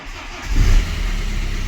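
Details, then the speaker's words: BMW 1 Series N47 2-litre diesel, previously heavy knocking, no brake pedal and red oil pressure light: brief crank, then an even idle with no knock or rattle and no errors; normal start after the fix. "Holy smokes, do you hear that? Engine sounds amazing. No error whatsoever."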